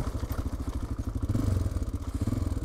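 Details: Honda Dominator 650 single-cylinder motorcycle, noise returning while riding in Portugal: idling with a rough, rattly clatter on each beat, from loose valve clearance.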